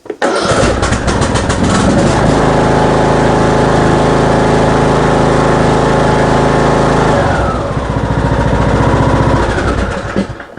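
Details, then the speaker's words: Craftsman ride-on mower with a 21 hp Briggs & Stratton engine, after a head gasket replacement for heavy smoking from a badly carboned engine: fires straight away, runs smoothly and fast, then settles to a steady idle with no misfires. "Well, it certainly sounds a bit sweeter, doesn't it?"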